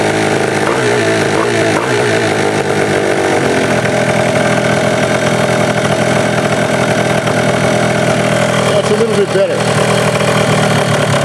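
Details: Honda Dio high-compression two-stroke race engine: loud buzzy high revs easing off, pulling cleanly. Revs were too high and were brought down; cooling fan running. Afterward the cylinder head read too hot, suggesting air bubbles in the cooling system.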